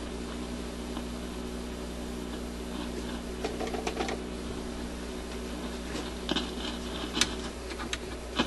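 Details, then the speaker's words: Admiral suitcase record player, newly installed replacement cartridge, amplifier warming up at 33 rpm: faint hum with irregular crackling and scratchy bursts through the speaker; cause not confirmed. "what's the noise there I wonder what's causing that I'm assuming you can hear that scratchy"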